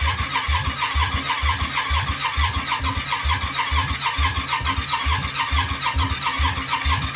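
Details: Yamaha Virago 535 V-twin cranking after mixture adjustment and a big fireball; steady starter chug about two a second with sharp popping backfire thumps, never catching; owner suspects a valve issue (expects compression about 120 psi).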